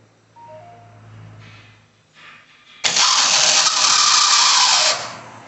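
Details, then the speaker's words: Chevrolet Celta/Prisma/Agile starter noise at start: after quiet cranking, a loud, harsh, high-pitched grinding whir holds about two seconds, then cuts off. The starter drive is sticking and slow to retract; the usual fix is cleaning and lubricating the starter. "você da partida vocês viram motor só que fica fazendo um barulho parece que Rosa alguma coisa lá para você para de correr a patinando mas na verdade não é o problema tá aqui o motor de partida"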